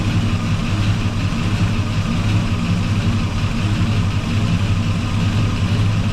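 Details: 1984 Chevy truck with a swapped 454 Gen 6 7.4L V8, still cold, timing being adjusted at the distributor: deep, even burble with a smooth, steady lope and no ticks or knocks. Normal idle.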